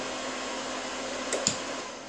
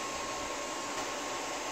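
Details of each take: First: APC XS 1300 UPS with new replacement battery (tested full 24 V), about 60 W load, mains cut: fans wind down, steady high beep about half a second, output drops; can't hold load on battery, power surging, cause unconfirmed. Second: APC XS 1300 desktop UPS reassembled with the temperature sensor reconnected. A steady airy cooling-fan whoosh with a faint high hum and no rattle or alarm: running normally with no error.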